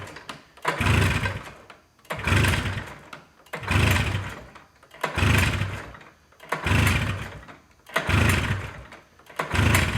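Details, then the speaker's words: Arctic Cat Jag two-stroke snowmobile after a clogged pilot jet was cleaned, long-sitting old blue fuel and rusted plugs: engine surges in bursts about every 1.5 s, loading up with raw fuel it won't burn and never clearing; running rich. "I mean, there's a bucket of raw fuel. Dude, it's literally like, it just will not burn it."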